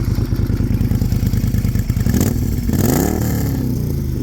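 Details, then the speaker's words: 2017 Moto Guzzi Griso 1200 V-twin, warmed up, heard from the exhaust after clutch repair: lumpy uneven idle beat, then a quick throttle blip rising and settling smoothly; whole bike jolts side to side with each rev. Normal revving. "You can see the whole bike shakes because it's a V-twin. Both of the things are pumping that way and that way, so you can see the whole bike jolts when I do it."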